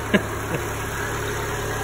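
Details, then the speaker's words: 2008 Chevy Aveo after throttle body replacement for throttle actuator performance code: steady, even idle settled from 1500 to about 1000 rpm, no hunting or surging, no error codes, apparently relearned; normal idle. "it already sounds like it's dropped down I don't see any error codes at the moment"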